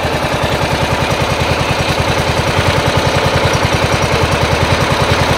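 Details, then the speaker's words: Diesel engine running after a seized part and towing: steady, even diesel idle thumping about three and a half beats a second, no knocks or misses; judged good to go, with slight blowby noted afterward; normal idle. "dude she's good to go got another th000 hours in her"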